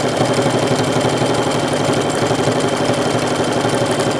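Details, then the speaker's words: Sewing machine after switching to correctly sized needle: fast, even needle stroke about four per second through thick heavy fabric with no thumping; earlier thumping was caused by a needle too large. "see it went over that thick heavy material and it's not really that thick it really wasn't that thick"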